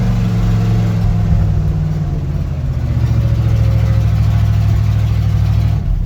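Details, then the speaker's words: 1977 GMC Sierra 35 one-ton dually restarted after sitting 20 years, with fresh battery cables: deep, steady rumble with an even beat and no ticks, knocks or misfires, a normal idle. "You just gotta listen to how this thing restarts. You wouldn't even know that it's been sitting for 20 years. Fresh battery cables and the thing's just a peach."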